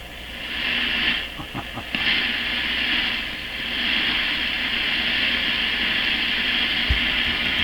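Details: Grundig Satellit Professional 650 radio during antenna-input checks: steady loud upper-range hiss with faint clicks, no signal; reception suddenly dropped further and the radio seemed no longer working, cause unknown. Owner suspects weak shortwave from alignment or altered antenna switching.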